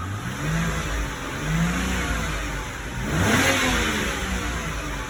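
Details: BMW 328i E93 with N51 engine, after the timing fix (code 2A7C), new valve cover for a failed PCV valve and broken pieces removed from the oil pan: idles evenly, takes a quick clean rev, no rattle, whistle or stumble; healthy.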